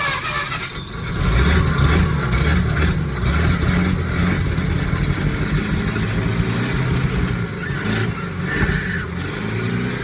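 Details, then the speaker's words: 1951 Packard straight-8, sat 30+ years, started on 12 V instead of its 6 V system, no accelerator pump, after fixing a points wire grounding on the distributor: catches into a deep, steady rumble with throttle blips. Running successfully. "that's a success. So that concludes getting it running."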